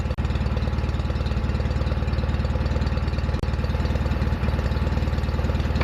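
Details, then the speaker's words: Restored John Deere 316 lawn tractor started after restoration: steady, even low chug at constant idle with no knocks, misses or rattles; the engine runs healthy. "so what I'm going to do at this point is start up the RoR so you can hear what it sounds [Applause] like sounds good"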